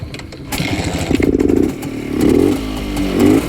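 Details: Restored Rajdoot two-stroke motorcycle, cylinder rebored with oversize piston, about one month break-in, clutch and gearbox fixed, electronic ignition replacing points: crisp crackle, clean throttle blips, steady idle, no knocks, normal running.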